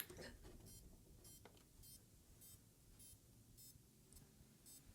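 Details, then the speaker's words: Dead Ubiquiti network switch opened up with only the power supply connected: faint high-pitched coil-whine chirps about every 0.6 seconds over a low room hum, with no lights; the owner suspects a failed power supply, not confirmed. "don't know if you guys can hear that, but it's like a beep, beep, beep, beep. It's like a little coil whine noise."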